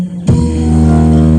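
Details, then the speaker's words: Polytron Big Band BB 455K radio after repair of hoarse, scratchy sound (component replaced, variable capacitor suspected): music comes through full and steady with no crackle, hiss or breakup; clear radio audio. "MB udah normal temen-temen suara udah enggak serat lagi ya"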